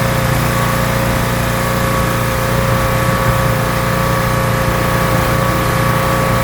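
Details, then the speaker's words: Rebuilt pressure washer small petrol engine with a known leaking manifold, spraying dirt off a car wheel: steady, even drone under full water load, no misses or knocks; runs really well, normal running under load. "The thing actually runs really well."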